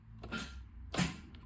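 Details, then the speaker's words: Opel Corsa B that won't start, ignition on and key turned: a couple of sharp clicks with no cranking; owner suspects a failed starter motor, which is then replaced. "you just hear that clicking sound."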